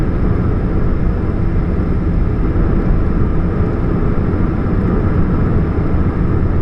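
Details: 2013 Chevrolet Spark: steady heavy low hum and rumble, even throughout with no pitch change; humming exhaust suspected from a catalytic converter leak, not confirmed.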